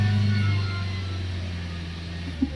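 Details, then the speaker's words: Hyundai Accent with check engine light, misfiring and noisy engine that sometimes stalls while driving: idle drone sags and wavers in pitch with a stumble near the end; unstable idle, fine when accelerator pressed. "Natakot po ako sa ganyan kung bumabagsak. Oh yun pa mga boss hindi stable itong idle niya."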